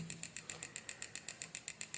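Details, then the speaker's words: 24V 2A UC3842 flyback SMPS powered through a series lamp: sharp even ticking about eight times a second with faint whistle; output fluctuating millivolts, IC restarting repeatedly, meaning a short circuit on the secondary side. "तो यहाँ पर देखें तो इसमें से एक अजीब किस्म की आवाज़ आ रही है, टिक टिक टिक विस्लिंग साउंड आ रही है।"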